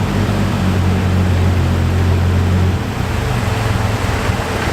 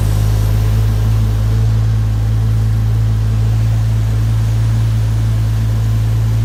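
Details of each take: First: Toyota Supra, long sitting, jump-started off a truck because of a bad battery after the fuel and clutch repairs; deep, steady idle rumble settling into a slightly rougher beat, then cutting out sharply. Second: Toyota Supra that ran about two to three minutes: steady low engine drone with faint uneven puffing pulse as air escapes; owner thinks he found a major boost leak.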